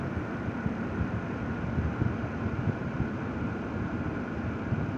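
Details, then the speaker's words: Zotac RTX 4090 AMP Edition graphics card, microphone right next to its fans, loud CPU fan also audible: steady even airy rush at moderate speed, no ticking or rattle; normal healthy fan noise. "that noise that you hear is the CPU fan okay so there's like really no noise"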